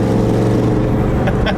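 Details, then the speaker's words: 1995 Ford Mustang Cobra V8, just refuelled on its first drive, check engine and low coolant lights on, drones low and rough under light throttle with a raspy puffing edge; giant exhaust leak. "you guys can probably also hear that it has a giant exhaust leak if you just kit on the throttle a little bit"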